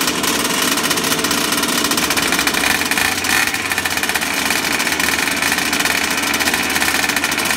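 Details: Small RC two-stroke engine, flooded by lots of 3-in-1 oil, now fired up after throttle and smoke: a high-pitched, rapid, even buzz holding steady without sputtering or bogging. It is running cleanly.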